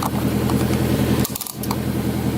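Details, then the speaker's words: Turbo Honda S2000 on E85 after replacing injector seals and adding injector cleaner: steady even idle with smooth low pulse, one handling rattle, injectors not chattering; normal healthy idle. "listen to that idol sounds perfect it's nice and healthy don't sound like they're chattering"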